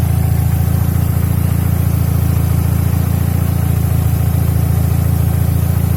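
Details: Mercedes-Benz W124 E200 with M111 engine, knock mostly on a warm engine and sometimes absent: steady idle with a regular low knock, about three and a half per second, tied to engine speed; source not pinned down.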